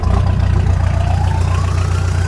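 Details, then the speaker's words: Mitsubishi L200 turbo diesel just started after fitting a new variable geometry turbo solenoid, done to chase overboost and a vacuum leak. A faint whistle rises through the exhaust over a steady idle, showing the turbo geometry is working. Normal turbo whistle. "we'll know actually if the geometry is working because we'll hear the turbo whistle through the exhaust if it is"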